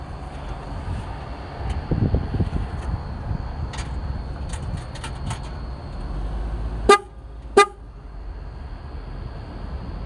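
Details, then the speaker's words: 1996 Ford Bronco horn after repairing three pulled-out horn wires: two short, clear blasts about a second apart, strong steady tone over light street noise; normal horn operation. "let's try that again maybe i'll get a better sound that that first one was what it was supposed to sound like"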